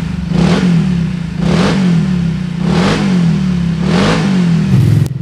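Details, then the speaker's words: Scooter CVT after service that cured a clunking/vibration noise at idle and on throttle; four smooth rev blips, pitch climbing and falling evenly, no knock or clunk from the drive; normal revving, no CVT clunk. "Hai bersih ya enggak ada suara klotok-klotok yang dari sebelum itu ada suara kalau di Idol kita buka gas ada suara Getaran atau kelompok sekarang bersih"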